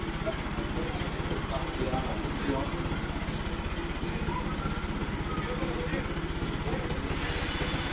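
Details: Bajaj NS200 single-cylinder after cylinder-head rebuild for starting trouble and low-rpm stumbling blamed on low compression: carbon cleaned, new valves, guides and seals, valves adjusted, compression raised. Steady even idle, no misses or valve clatter; sounds healthy.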